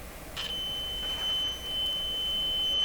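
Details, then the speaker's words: Tweeter fed a test signal from an audio signal generator: a clean, steady, very high-pitched tone with no crackle or dropout. The tweeter sounds good. Normal tweeter test tone. "Yeah, I can hear it. Very, very high. Yeah, this is a pretty good tweeter right here."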